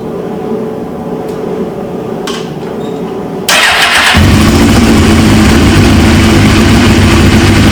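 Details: 1999 Suzuki GSX-R 750 with a used replacement engine, restarted once fuel pressure built: starter whirs briefly and it catches instantly into a steady idle with no misses; healthy, though fuel leaks at the tank quick-connect, owner suspects an O-ring.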